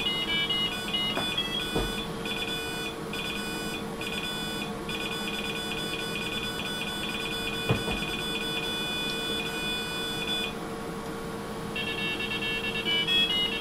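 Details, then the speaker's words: 386SX 25MHz PC, internal buzzer played a tune from the PC Check test program. Clear square-wave beeps stepping through the tune with no crackle or dropouts: PC speaker works normally. "Well, there's definitely no denying that its buzzer works, at any rate. That's probably the best rendition of that tune I've ever heard."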